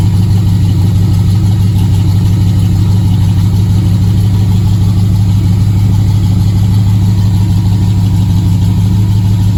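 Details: Factory Five MK3 Cobra replica, Ford 302 V8 with GT40P heads and Holley Sniper EFI, cold start at 38°F after 7-8 weeks in winter storage; deep, steady, slightly lumpy burble with no knocks or ticks; normal cold idle.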